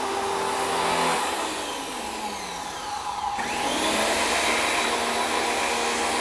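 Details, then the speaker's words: WEN 2000 psi, 1.6 gpm electric pressure washer drawing about 12 oz of pure soap: the steady motor whine sags in pitch for a couple of seconds, then recovers, as the motor bogs down while pulling the soap. "however the machine doesn't seem to like it you can hear it it almost seems to want to bog down a little bit"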